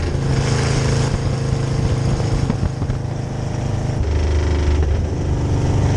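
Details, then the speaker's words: 1966 Chevy C10 rat rod with rebuilt carb on test drive: pulls rough with dips and hesitation under load; fuel pump held pressure at idle and cruise but can't keep carb bowls full, acting like ignition problem. "so fuel pump didn't see that coming the way this acted it acted absolutely like an ignition problem because it had fuel pressure at idle and actually maintained fuel pressure when i was just cruising but what is happening is the bulls are emptying faster than fuel pump can keep up with it"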